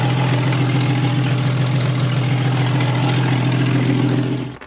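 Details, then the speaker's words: Auction-bought Jeep, automatic, running after being driven off the trailer: deep, loud, throbbing six-cylinder idle with a rough low rumble, then shutoff. The exhaust is far too loud and sounds like it has no muffler, though this is suspected, not confirmed. "Chuck this thing sounds like you've got no Muffler bro"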